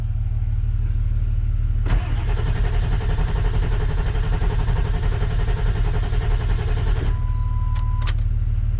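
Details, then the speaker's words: 7.3 Powerstroke diesel after injector change, turbo rebuild, new glow plugs and wiring: several seconds of steady starter chugging after wait-to-start, no firing; fuel system still priming after injector change, starting spray tried earlier. "Dang, this is the hard part. And after an injector change, it's ridiculous. Trying to get everything primed back"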